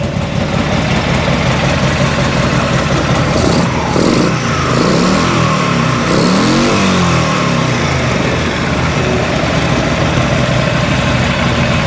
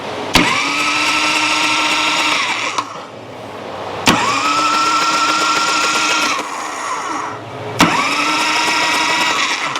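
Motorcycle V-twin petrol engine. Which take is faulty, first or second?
second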